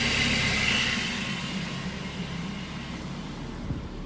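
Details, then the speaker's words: 2008 Mazda 3, nearly 200,000 km, idling with AC on after new serpentine and AC belts: a higher whirring note cuts out after about a second and the engine settles as the AC clutch cycles off; per a mechanic friend, it seems to be normal. "i got a bit of a shock when um that uh con you know stopped or paused um i i i'm uh just asking a mechanic friend of mine but it seems to be normal behavior"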